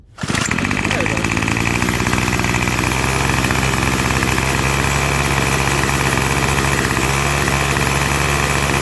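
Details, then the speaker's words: Curb-found Craftsman 25cc two-stroke trimmer, return line refitted without its divider piece, compression fine, restarted after cooling 30–45 seconds: fires right up and holds a steady, even buzz at idle with no surging or misfires; normal idle. "seems to be running fine. So, all right, let's give it uh I I'll start it up here just to make sure it starts off after cooling down for about 30 45 seconds here in about a minute."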